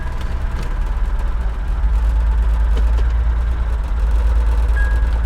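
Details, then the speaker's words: Salvage vehicle: low, lumpy idle with uneven beat and occasional stumbles, intermittent misfire; goes into gear and moves but makes an unidentified noise, unsure it's even the engine. "yeah something's not right here dead misfire I don't know what that sound is I'm not sure I've never heard anything quite like it"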